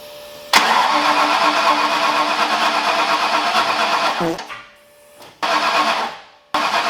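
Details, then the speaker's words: Ford Foxbody engine just rebuilt in one day, start after adding missing coil grounds and timing adjustments; catches and runs ragged with uneven firing, dies after about four seconds, restarts twice and stumbles; owner suspects a timing issue, unconfirmed. "there's ignition but it's sounding like it's a timing issue so I gotta look at it"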